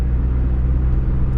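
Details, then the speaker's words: 1999 NB Mazda Miata after misfire repair, shifted to fifth gear, full throttle from about 1500 rpm: deep, steady, smooth pull with no stumbles or misses. "I'm going to shift all the way up to fifth we're going to go down about 1500 RPM full throttle perfectly"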